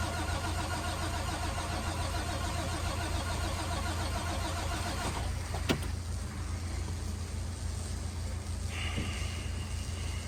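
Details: International WorkStar work truck, no-start part 2: the starter churns steadily at about three and a half compression beats a second for ten seconds without catching; cranks but won't start.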